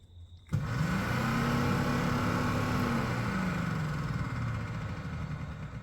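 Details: Porsche 993 front A/C and oil cooler fan, relay jumpered for test, low-speed voltage resistors found failed so only high speed works: fan spins up quickly to strong steady whir then eases off; high speed normal.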